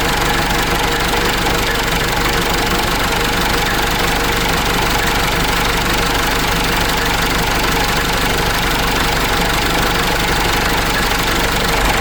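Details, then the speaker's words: Case 586E forklift Cummins 4BT diesel at idle after oil pickup tube replacement and refill, engine started again; heavy, persistent knock about three a second over the clatter, tapping also present at first start; cause still unknown; engine knock. "The reason why I said that is you could hear the tapping when I was running this engine at first."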